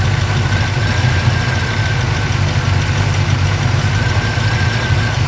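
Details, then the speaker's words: 1940 Ford, engine started briefly before being parked for winter; rough, deep idle with a loose metallic internal rattle over the engine; possible damage, cause not yet known. "I don't know if the microphone will pick it up or not, but we'll try anyway, just so you can hear what's going on. If there's damage, the damage is already done, so a couple more seconds running isn't going to really hurt anything more than it already has."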